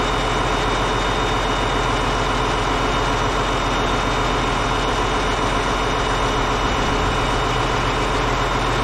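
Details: Caterpillar D8H bulldozer, 46A serial, year unknown, first start after sitting 15+ years: steady even low diesel rumble at idle, no knocks or misses; normal diesel idle, running good.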